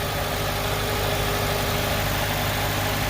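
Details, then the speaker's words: 2004-2008 Acura/Honda TSX after replacing a burnt starter and charging the battery 5-10 minutes: starts, then smooth, even low idle with steady beat and no knocks, ticks or whine. Healthy, fixed. "this turns on there we go alright guys so yeah looks like the cars all fixed now"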